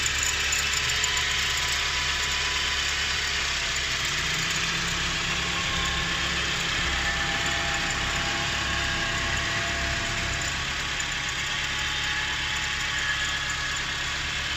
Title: 4G13 strange whining sound.